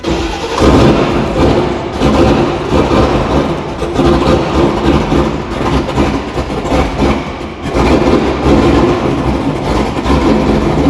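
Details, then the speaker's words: 6.2 LS-swapped squarebody crawler on Holley Terminator X EFI, first runs: loud open-exhaust V8 hunting and dipping, never settling to an even idle. "finally got you the truck run just a little bit uh some bad things happen though I mean we didn't get it to fully idle it's kind of having a couple of problems"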